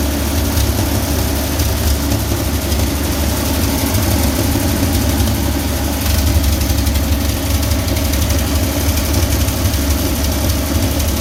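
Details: 1966 Chevy G10 van V8, not run in 30 years, fed from separate fuel tank via new line to fuel pump; low steady rumble holding even idle without stumbles or surges, running and idling great, normal idle.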